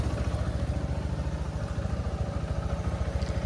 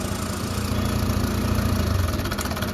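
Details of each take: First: TVS Apache RTR 160 BS6 after timing chain replacement (chain adjuster was at its limit, noisy at idle): even low thump at steady idle, no ticking or chain slap; normal healthy idle. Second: TVS Apache RTR 160 BS6 single-cylinder bike, used months in Hyderabad: loose tinny clatter over a low thump at idle that vanishes when revved and returns off throttle, from a stretched timing chain needing replacement.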